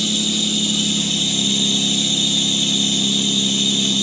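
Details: Loud, steady high-pitched squeal over the engine at startup after a belt change: the drive belts were not fully tightened and are slipping.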